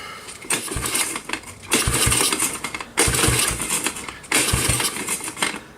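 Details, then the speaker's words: Kawasaki KLT110 three-wheeler with air cleaner removed, spark confirmed and throttle not working: short bursts of slow, uneven cranking with no firing; cranks but won't start. Cause not confirmed. "she'd fire up on that should fire it up I got the air cleaner off maybe that's the issue did the mice get up in there no my sting get up in there too far even then it still should fire"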